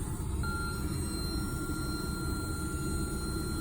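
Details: 2013 Ford Mustang, engine idling: over a steady rumble, a thin high whistle starts when the brake pedal is pressed and holds; brake booster noise, booster being replaced.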